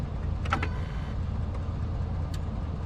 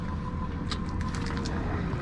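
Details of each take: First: 2003 Ford Expedition, cranks but no start, just bought with unknown history, possibly overheated; spark present: starter cranks at a steady, even three beats a second and never catches. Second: Ford Expedition, cranks but won't start: a faint steady whir after key-on as the fuel pump primes normally; inertia switch fine.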